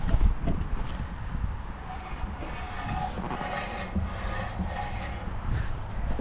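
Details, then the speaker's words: HSV VP Senator (VN), first drive around the block after extensive work: rough continuous metal-on-metal scraping keeping pace with the turning wheel over road noise, brake related; the dust shield was touching and rubbing the brake disc. "So I think something's stuck in there behind the dust cover or something like that."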